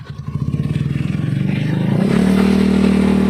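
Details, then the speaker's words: Honda Beat carburetor scooter revving: rough pulsing rattle turning into a steady coarse grinding drone from the CVT, a ngeresek noise reported by the rider; cause traced to a worn rear pulley shaft. "seperti itu ya yang ngeresek ya pada bagian CVT nya"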